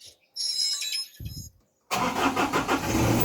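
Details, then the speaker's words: Mazda Fighter diesel after replacing the leaking fuel hand-primer pump, on the first start with some air still in the fuel: short cranking bursts with a pause, then the engine catches and settles into a steady, slightly rough run. It starts fine. "สตาร์ทครั้งแรกอาจจะติดยากหน่อยนะครับเพราะว่าน้ำมันมันยังมีอากาศอยู่นะครับ"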